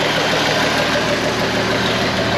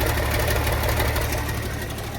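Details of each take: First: Abandoned IH 4166 tractor diesel, sat since about 2015-2016, first start with fuel opened halfway and clutch down: loud, steady idle with even low beat, no knocks or misses; owner says it runs good. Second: Abandoned IH 4166 tractor diesel, sat since about 2015-2016, idling after start: rough, loud raw popping exhaust beat because the turbo has rusted off, exhaust escaping unmuffled.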